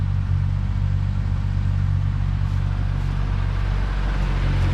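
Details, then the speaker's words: Ford Maverick with its 250 cubic inch six, original factory air conditioning, idling while warming up after standing in the yard: deep even rumble with a steady beat, no knocks, misses or ticks. Running good. "Sounds nice and quiet. All original factory air conditioner car, air conditioned car."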